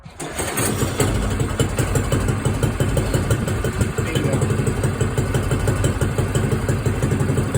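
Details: Small red moped cold start on its stand: starter whirrs briefly, then the engine catches into a quick, slightly uneven putter of about three beats a second; choke then turned off and governor holds idle; normal cold start.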